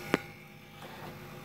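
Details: Grundfos 26-99 circulation pump on a hydronic heating system, mounted horizontally instead of vertically, phone held against the pump: constant low buzzing hum carried through the pipes with a single click; owner suspects the bearings are going and the cartridge needs replacing.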